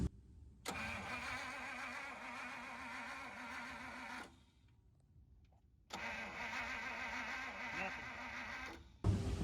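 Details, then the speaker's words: 1950 Pontiac Silver Streak straight-8, sat almost 40 years, cranked with a test spark plug: two long even cranks, not one firing stroke. Coil grounds and has positive but no spark; cause was dirty, misadjusted ignition points. "It's grounding the coil like it's supposed to. And we got positive on the coil. I just don't know why we don't have spark."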